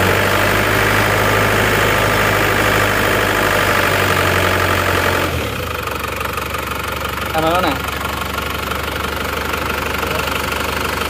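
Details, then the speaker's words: Diesel after repair of a defective cylinder head (compression had been leaking into the radiator, causing overheating and water loss), run with no thermostat fitted. It started a little slowly, then settled to an even, steady idle with a regular clatter, no misses or hunting. "Kelihatannya sudah aman ya ini enggak ada termostatnya Makanya"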